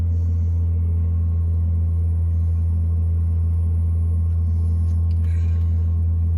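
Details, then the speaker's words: Navien NPE-2408 tankless water heater with no hot water and error E110, after cleaning a clogged air intake screen; startup then steady, even low roar with no surging or popping; normal burner operation. "sounds like it's about to work these are pretty quick too so not sure if you can hear that on the video but it's already in the"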